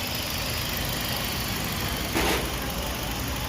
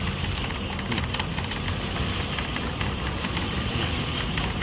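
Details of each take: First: Toyota Vios 1NZ that shook and stumbled at idle and needed 2-3 cranks in the morning, after replacing the failed cylinder 1 ignition coil: idle holds steady and even with no stumbles, smooth hum with one brief swell; running cleanly. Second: Petrol engine idling unevenly with lumpy stumbling beat and heavy shaking near stalling; swapping coils shows one ignition coil dead, no spark, 100% faulty.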